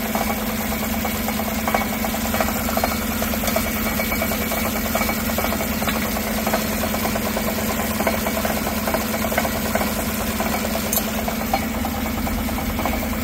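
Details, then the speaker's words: 2016 Tahoe 5.3 V8 with 140,000 miles, no check engine light, idling and heard underneath: a loose, tinny rattle that never settles. Part of the driver-side catalytic converter's insides has come apart. "the noise we're hearing is over here though ah you guys hear [Music] that sounds like part of the cat came apart in there"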